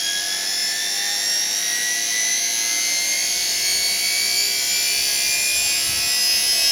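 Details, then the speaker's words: Uncovered motor, covers stripped off, set to match the lathe's 1170 rpm: loud, steady high-pitched whine at constant speed with little low rumble; about as noisy as the other motor. "It's actually just about as noisy as the other one, whine-wise, but I'll stick the cover over it and see what it's like with the cover over it."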